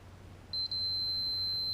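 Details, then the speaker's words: Fluke meter on continuity checking fuses on a 2006 Can-Am Outlander Max 500 with battery trouble and no ECM communication: short steady high beep that breaks once then holds; continuity, fuse good. "so I got it where when you touch these two it makes a nice beeping sound that way you know you're getting a connection"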